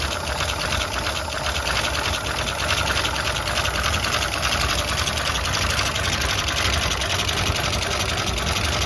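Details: Unrestored 1935 Pierce-Arrow V-12 engine, first start in over 30 years. Steady, fairly even idle with a busy mechanical clatter on top. Normal running.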